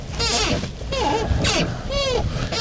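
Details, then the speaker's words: Cheap Hyundai i10 with new clutch, engine off: five creaky rising-and-falling squeals, one per clutch pedal stroke; dry squeaking clutch pedal, owner suggests WD40 or lithium grease, cause not confirmed. "First thing I've noticed is we're probably going to have to get the old WD40 out or a bit of lithium grease or something cuz this is our clutch pedal."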